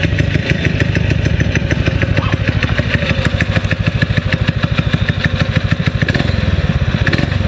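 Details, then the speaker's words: Predator 6.5 clone single-cylinder engine on a springer bike, just re-jetted carb and cleaned plug: quick, fairly even popping exhaust beat, slightly ragged; owner thinks the apparent miss is just exhaust note, runs fine. "I like the way it responds it does sound like it's missing but I think it's just the exhaust note"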